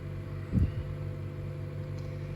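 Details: 2014 Chevy Cruze LT 1.4L Ecotec idling after a tune-up with Autolite iridium plugs: quiet, steady low hum with no misses or ticking after a brief handling bump; it sounds a lot better, a normal idle.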